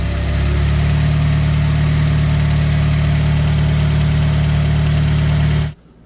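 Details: Porsche 996 with a K24 engine swap, first fire: smooth, steady low idle with an even rumble and no hunting or surging before shutdown. This follows work on a vacuum leak through the throttle body blade.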